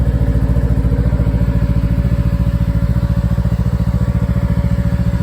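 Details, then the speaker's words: 2021 Ski-Doo Tundra LT 154 with 600 ACE engine idling in slow low-snow conditions: even thumping about 3.5 beats per second with steady whir as the cooling fan kicks in at 5 temperature bars; fan running normally. "Now I mentioned that we hit 5 bars and you hear that fan come on."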